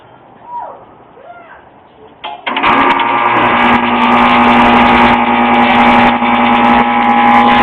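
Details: Goodman heat pumps in Phoenix, AZ backyards, average units: outdoor unit starts abruptly into a steady hum with a harsh buzzy rattle on top, echoing off a wall; condenser rattle, source unclear.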